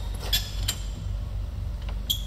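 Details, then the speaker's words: Cincinnati Monoset MT tool and cutter grinder with slides moving freely; short, sharp, irregular high squeaks over a low hum as the wheel turns come only from the handle on the handwheel. Handwheel handle squeak. "is still plenty of other adjustment on the hip if you need to address the give up squeaking your hearing is just a handle on the hand wheel"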